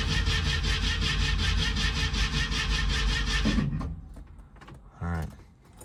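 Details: 1967 Ford Mustang with a 302 V8, sitting since 2008, about six gallons of fuel added: steady starter churn of about three beats a second for nearly four seconds with no firing. Cranks but no start, with fuel suspected not yet arriving.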